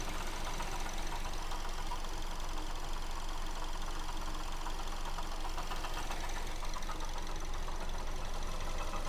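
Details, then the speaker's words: Mazda2 engine at idle: steady rapid ticking knock clearly heard from the alternator side; suspected water pump, belt tensioner pulley also checked; not confirmed. "этой стороны мы стучит звук отчетливо слышно со стороны генератора"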